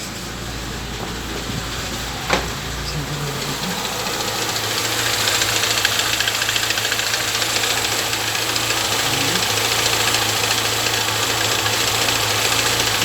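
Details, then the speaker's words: Chevrolet Niva, 6,000 km, cold start after winter storage: sharp regular ticking about twice per second, apparently from under the valve cover, at idle, gone with revs; owner suspects oil too thin draining down. "похоже, что это из-под клапанной крышки идет стук. Вот, сейчас садимся. И прям слышно."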